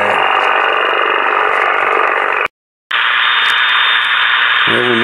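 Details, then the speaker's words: Yaesu FT-747 HF transceiver after repair of a no-receive-on-any-band fault, tuning for SSB and then CW. Loud hiss of heavy band noise with Morse-like keyed tone; the receiver sounds healthy, bands very noisy. Normal receiver operation. "So now let's see if we can tune in a single sideband station. The bands are really terrible today too, and it's very noisy here also."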